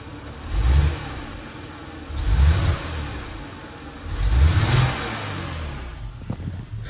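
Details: 2006 BMW X3 E83 petrol six-cylinder misfiring occasionally at idle: low rumble that swells and stumbles about every two seconds. Scanner shows cylinder 3 misfire, fault code 29CF; the coil pack was replaced.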